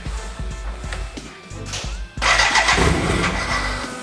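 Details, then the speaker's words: BMW K100 cafe racer build, start attempt, neutral, choke on: starter churns about 3.5 pulses a second, more smoke and noise than last time but never catches. "first sounds oh it's the same it's exactly the same like this why though so at least we have a bit let's say more smoke or more noises than the last time"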